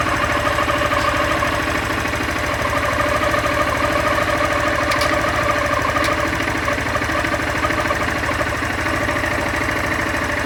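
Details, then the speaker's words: Honda Fan 160 motorcycle with only 5000 km: steady idle with an irregular rattling chatter of two or three beats a second, present in neutral and growing when any gear is engaged; owner suspects the clutch assembly; engine noise louder in gear. "No ponto morto. E se eu engatar qualquer marcha, o barulho aumenta."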